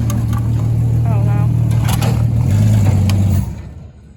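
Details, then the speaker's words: 1963 Ford Falcon Futura, 170 inline-six, after a new radiator, water pump, alternator, carburetor, plugs, wires and ignition switch, following 25 years parked. Steady, even low rumble with no knocks, misses or surging before shutoff. Normal running. "This thing is running so smooth now."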